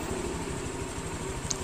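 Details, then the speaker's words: Honda Vario 150 scooter engine idling after the fix for a rough, growling engine sound; steady, even putter with no knocking or rough gurgle, now running smoothly — normal idle. "udah halus teman-teman bisa dengerin"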